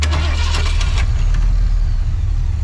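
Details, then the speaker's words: Ford 300 inline-six truck engine revived from storage settles into a deep, steady idle even though it is missing a spark plug, running on seven. "Oh, it's not even shut. What a loyal old bird. What a treat. Just listen to her idle."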